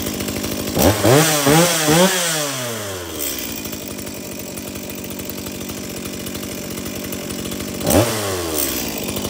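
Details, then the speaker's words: Stihl MS170 chainsaw, brought in because it wouldn't shut off by switch, tested after switch repair: rasps up to full revs twice, drops to steady even idle, no misfire or hunting; runs clean, stops on switch. "okay so it starts it runs it oils and it shuts off of the switch again"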